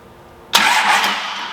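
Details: Cummins diesel, run on the shop floor with the fuel pump jumpered and cranked via jumper wire: silence, then it catches on the first crank and roars straight into a steady, clean run.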